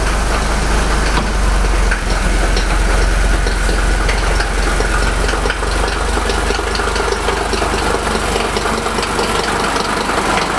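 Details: 1983 Mercedes W123 300TD OM617 after mechanical fuel lift pump rebuild and priming, previously losing fuel pressure and stalling right after start: diesel clatter settles into a steady, even idle without stumbling over ten seconds; normal idle.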